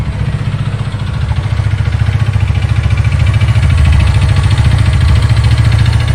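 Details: Haojue DR160 motorcycle at idle, after a scanner found a fault: a regular pulsing tap about three per second over the low drone, easing when accelerating; owner suspects an injection-related cause, unidentified.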